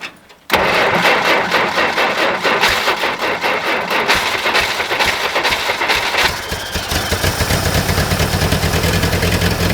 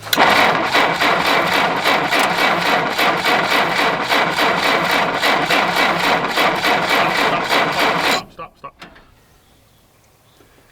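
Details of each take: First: 1960 Jeep CJ-5 with a V8, first cold start in years at around minus 30 on a new battery: short crank, fires straight away and settles into an even, steady idle with no miss or knock, oil pressure gauge reading; normal idle. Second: 1960 Jeep CJ, first start in years with a fuel line hooked to the fuel pump and a fresh battery: steady, even cranking about four turns a second for eight seconds, never catches; no spark, points suspected dirty.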